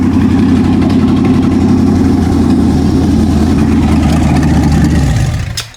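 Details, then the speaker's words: Carbureted V8, ignition timing advanced, engine not fully hot: fires and runs a rough, lumpy idle about five seconds, then dies; a sticking float floods the carb, possibly putting fuel in the oil, so the carb needs a rebuild. "We got an issue. A float is sticking. It's flooding out of here."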